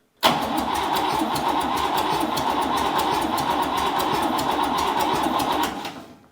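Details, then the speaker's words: Buick 401 Nailhead rail dragster, cranking with fuel reaching the filter: steady cranking about four compression beats a second for six seconds, no cylinder catching; owner guesses no spark, later confirmed ignition issues with inductive timing light. "I'm gonna I'm gonna guess that it doesn't have any Spark because that didn't sound too promising"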